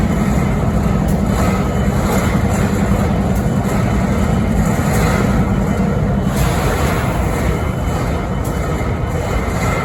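Heavy, steady diesel rumble with scattered sharp ticks at uneven intervals on top; an odd idle noise whose cause isn't clear.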